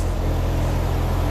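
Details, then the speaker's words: C4 Corvette at steady idle with a burnt hole in the muffler. Deep, loud, blatting rumble with a rough raspy edge as exhaust escapes: exhaust leak. "the muffler has a burnt hole in it so essentially it is a dump truck"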